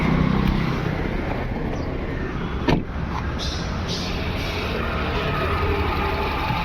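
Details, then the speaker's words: VW Vento petrol engine with P0300 and P0201: uneven idle with periodic stumble, still misfiring after codes cleared. Coils and plugs check OK; fault traced to cylinder 1 injector getting no current. Cylinder 1 misfire. "Check light चली गई है लेकिन गाड़ी miss fire कर ही रही है अभी भी वापस से बंद करके स्टार्ट किया।"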